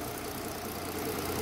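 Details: Mercedes-Benz SUV that had codes P0300, P2090 and P0353, idling after repair with zero misfire counts on all six cylinders, heard from the front of the engine: a steady, even idle with a soft, regular beat and no misfire stumble.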